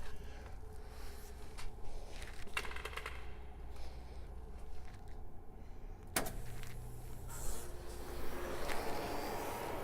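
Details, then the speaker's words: Miller 250DX TIG welder (model 907194032), during monthly/yearly maintenance, unit turned back on to blow out dust: steady low hum from the powerful cooling fan under a few handling clicks; fan sounds healthy and normal. "You hear the fans going. It's a pretty powerful fan that's in there, so this ought to blow this dust around pretty well."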